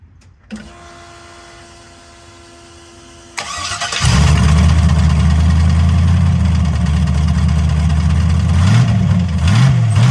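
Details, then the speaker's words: Engine cranked while on a trailer after a rebuild and nitrous dyno pulls; fires to a loud idle with a steady light tick following engine speed, heard kneeling beside the car; bottom-end ticking, owner suspects rod bearing, unconfirmed. "I decided to start up my buddy the other day so we could hear it and I knelt down beside the car and I hear tick tick tick tick tick taken put my head down there and all of a sudden it's like yeah that's rod bear"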